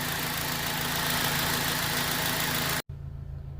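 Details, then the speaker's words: 2004 Honda Civic 2.0 at 240,000 km, warm, idle settling from about 1,000 to just over 800 rpm: smooth, even hum with a steady low beat and no tapping or knock; healthy engine, recorded as a reference. "ฟังเสียงเครื่องยนต์นะครับเดินที่พันรอบดูครับท่านใดที่ขับรุ่นนี้อยู่จะได้เปรียบเทียบเสียงเครื่องยนต์ของท่านได้นะครับ"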